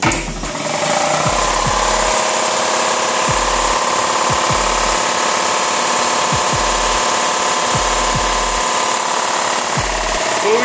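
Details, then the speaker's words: Kobalt 60-gallon air compressor after its pressure switch was replaced: a steady motor hum with a regular thump about once a second as it builds toward 120 psi. No leaks heard; running normally, repair successful. "to try to do is going try to get the pressure all the way up to about 120 that's where I keep it at let's make sure we don't hear any leaks over here too so far we don't"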